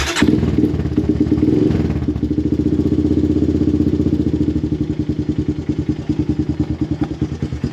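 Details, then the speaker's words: Honda TRX250X/250EX quad after a full service (new air filter, oil, spark plug and differential oil), started warm with choke: catches, then settles into a regular single-cylinder thump at a steady rate; normal running. "But there you have it. The machine is running."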